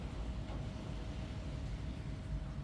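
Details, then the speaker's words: 2011 Nissan Juke after no-crank no-start with codes B26F4/B26FA (start control relay, start cut) was fixed by replacing the ECU: steady even low rumble with a faint constant tone, no knocks or misses; normal running. "the problem was show you the ECU so I put another one there's the old one there and the car"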